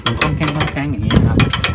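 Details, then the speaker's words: Home-built ATV trailer towed empty: sharp repeated metallic clanks from the hitch ball rattling loose in the coupler, very loud while driving; owner first tried padding it with inner-tube rubber. "เวลาวิ่งไปรถเปล่านะครับังขึนๆๆๆขึๆอย่างงี้นะครับก็ดูสาเหตุแล้วนะครับว่ามันเป็นที่ตัวหัวบอลเนี่ยมันเป็นคอง"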